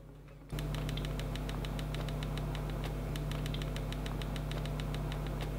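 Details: ASUS ROG G16 2024 laptop: a light ticking rattle of about four per second over a steady fan hum, caused by a loose screw and fan shroud. The owner is unsure whether it is shipping damage or a quality-control issue.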